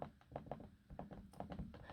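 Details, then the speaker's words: 2020 Dell XPS 15 9500 laptop after two weeks of use. Soft hollow thunks at irregular taps while scrolling, dull and loose rather than crisp, with the trackpad pressing in far; the wobbly trackpad moves in its mount. "That's basically the wobbly trackpad, if you get what I mean. You can clearly hear that, I hope."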